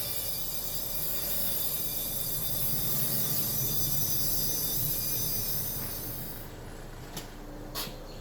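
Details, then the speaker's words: 2014 Honda Civic: loud, steady high-pitched grinding squeak with scraping edge as the car rolls backward in reverse, then fades; rear brake squeal suspected, not confirmed, recorded from a distance on a sloped driveway. "when the vehicle was put in reverse my sister said that she hears a very loud grinding squeak noise so we're going to check it out right now"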